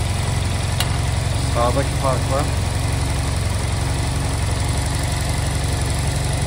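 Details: Honda Silver Wing scooter that would not start, after new spark plugs were fitted and during air/idle synchronization adjustment: smooth, steady low idle with an even beat, no misfires, knocks or hunting; normal idle.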